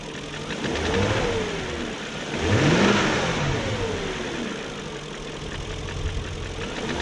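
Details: 2001 BMW E38 740i Sport V8 after new timing chain guides, tensioner, gaskets and seals: light quick valvetrain-type tick over idle, tracking revs as they rise and fall; no codes, idle otherwise good; owner suspects VANOS unit, source unconfirmed.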